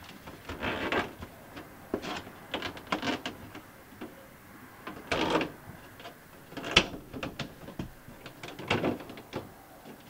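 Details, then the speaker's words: MaxxAir MaxxFan 4500K roof vent fan in an RV bathroom: irregular bursts of loud clicking and rattling as the automatic lid moves, quiet in between; the lid operator mechanism is falling apart and needs replacing. "the clicking noises are you're hearing from your max then deluxe rook that actually means you need to replace the operator mechanism"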